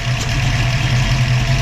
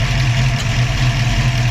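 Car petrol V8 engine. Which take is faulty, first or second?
first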